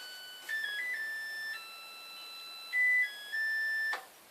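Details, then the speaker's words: Korean washing machine with no dryer, end of cycle: short bright electronic tune of clear sustained notes, Schubert's "Die Forelle", in a quiet room instead of a beep; normal cycle-done melody. "Because, just like everything else in Korea, it likes to sing to me. My washing machine decided to choose Schubert. That sound is my washing machine telling me it's done."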